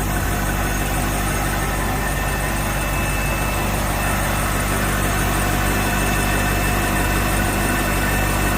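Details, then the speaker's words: Volvo Penta 6.0 marine inboard, first start after head gasket install, water on, cranked beforehand to build oil pressure and fuel: fires right up into an even, steady idle with a smooth low rumble, no knocks or misses; sounds good. "let's see she should fire right up [Music] it sounds good"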